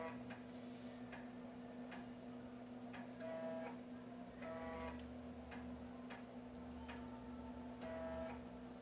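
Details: Floppy drive in an MS-DOS PC copying ARJ-compressed sound-card driver installer disks, with old disks that may have sector errors: steady head steps about once a second with short buzzy seek bursts over a low hum; normal reading.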